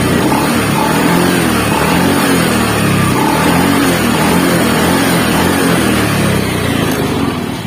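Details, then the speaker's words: Honda Beat FI scooter after repair, owner's earlier rough helicopter-like noise now gone: small single-cylinder engine idles and blips smoothly and evenly with no rough chopping drone; normal idle. "Oke betul suaranya akhirnya hilang percaya kalau kemarin suara kasarnya itu akhir-akhir kaya gitu-gitu ya"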